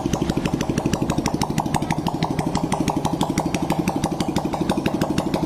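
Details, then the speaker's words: Honda Blade after cylinder boring and head reassembly, idled for several minutes so the piston and cylinder bed in: even, steady idle with regular firing beat about three pulses a second, no knocks or rattles; smooth normal idle. "jadi kita Nyalakan kita stasioner kan nyalahkeun deh kita hidupkan beberapa menit supaya di bagian eh piston dan silinder supaya menyesuaikan satu sama lain supaya lancar Ya"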